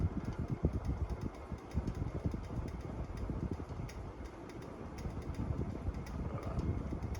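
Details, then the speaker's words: Ceiling fan at the grandparents' house in the Dominican Republic; the light kit shakes more at times even though the glass and bulb socket are not loose. Light, quick ticks over a soft hum. The owner wonders whether a worn speed-control capacitor is to blame; the fan sometimes runs a speed or more slow. "And sometimes the light shakes a bit more. The glass isn't loose. The light bulb socket inside isn't loose."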